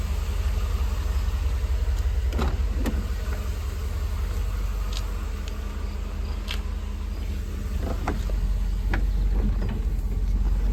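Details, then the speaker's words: 1988 Mercedes-Benz 560 SL V8, warming up after a cold start toward operating temperature, water temp just rising, oil pressure great: low, steady idle holding an even note, no misses, knocks or ticks, a few light clicks; normal warm-up idle. "Starting to get a little bit of water temp. Still great oil pressure and an idle, very smooth. We will continue to let her get up to operating temps, circulate those fluids."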